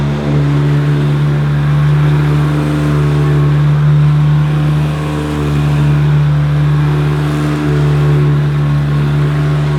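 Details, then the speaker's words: Hoover Decade 80 upright vacuum on high pile carpet at normal power (not power surge): a loud, steady low droning hum with buzzy vibration; owner unsure whether this noise is normal. "seems to vibrate a bit and is quite noisy but perhaps that's the sound that they should make please comment below if you think this sounds ok"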